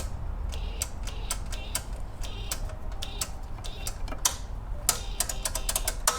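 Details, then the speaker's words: Kohler EFI mower engine (Exmark) just after a long block install: fast, irregular clicking bursts instead of cranking; the owner suspects the starter, possibly affected by pressure washing. "It's probably actually my starter."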